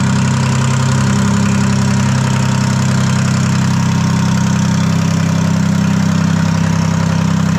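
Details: Detroit 3-53 two-stroke diesel first start after 25 years, camshaft reversed after a backwards install in its 2000 rebuild: loud, steady unmuffled idle with even firing, no knocks or stumbles; no exhaust fitted. Normal idle.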